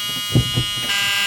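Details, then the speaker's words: 1976 Chevrolet Nova 4-door, true cold start after sitting since yesterday: steady harsh electric buzz like a school fire alarm before the engine starts; cause of the warning buzzer not stated. "all right i haven't started this thing up since yesterday so this is a true cold start um it's got this annoying buzz so apologize about that"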